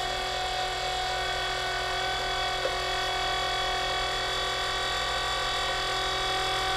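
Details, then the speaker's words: Old electric turbo oil scavenge pump bench-tested drawing 5W-30 oil; loud steady high-pitched whine and buzz while pumping, flows more than the new pump but much louder. "definitely flows more but boy it's way louder"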